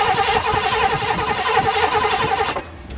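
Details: 1986 Mercury Grand Marquis 5.0 fuel-injected V8, first start in 5 years: steady starter churning at about four pulses a second for two and a half seconds that never catches; no fuel because the fuel pump wires were hooked up wrong.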